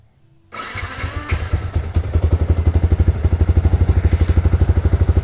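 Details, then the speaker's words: Motorcycle with Juken 5 ECU, base map value reset to 2.64 for idle: the engine cranks, catches within half a second and settles into a steady, even idle of about three beats a second, a normal start. "Mesinnya kembali normal ya."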